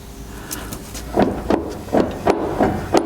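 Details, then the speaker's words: Land Rover Defender rear axle, both wheels off the ground and rotated by hand: sharp hollow clunks about every third of a second matching the driving clunk; owner suspects worn half shaft splines. "I think that's exactly the sound I'm having when we are driving the car so maybe we are lucky and it's just the half shafts that are faulty"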